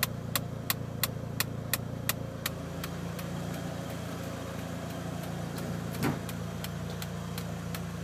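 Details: Mitsubishi Evo 1 at operating temperature after the fan disengages: warm idle with a light, fast tick that stands out at first, then fades under the steady engine hum; source unconfirmed.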